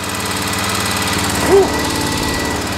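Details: Toro TimeCutter zero-turn mower that would not start, after the small red solenoid wire was moved to battery positive: engine runs steady at constant speed with even firing and no stumbling or knocking; normal running.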